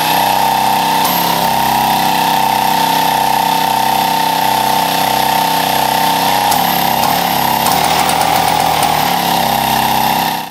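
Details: Scrapyard Mobylette two-stroke start attempt: a ragged buzz catches briefly, then spits, pops and backfires irregularly before dying.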